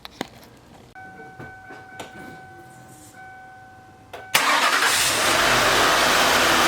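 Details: 2000 Lincoln Continental first started after replacing the belt tensioner and refitting the coolant reservoir. Door-chime tones, then the engine cranks, catches and settles into a steady, even run with no clear belt squeal. The start and idle are normal.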